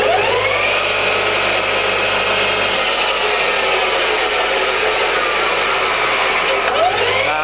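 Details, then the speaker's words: Used Scott 6230 x 1000 single-phase lathe, 1 m between centres, spindle at top high-range speed of 2000 rpm: steady even mechanical whir with bright airy hiss, no knocks or rumble; runs smoothly. "So those are the feeds on it, and I'll take you into the high range. The next one is 460, 755, 1255, and one more, 2000."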